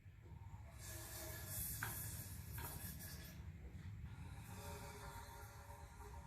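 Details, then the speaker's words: 1973 Torino engine, hours after marbles were put in, rocked back and forth by hand with a socket: soft hissing bursts over a low rumble; it turns freely, not seized. "Now I can hear the marbles inside hissing, so once you go through and take the spark plugs out, it'll go over a whole lot easier. It's probably what I'll do next. But now we know the engine isn't locked up, we'll have to just give it one real slow revolution."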